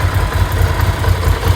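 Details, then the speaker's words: Ducati 750 SS Supersport L-twin, 29,765 miles: lumpy uneven idle with loose steady rattle on each beat; normal dry clutch chatter, nothing wrong. "So as you can see, she starts and idles lovely. Got that beautiful Ducati clutch noise."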